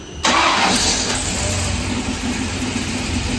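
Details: 376ci LS V8, 9.5 compression, on dyno after runs making about 580 hp, oil pressure consistent, no leaks, engine warm: catches sharply and settles into steady even idle, no knocks or misses; healthy engine.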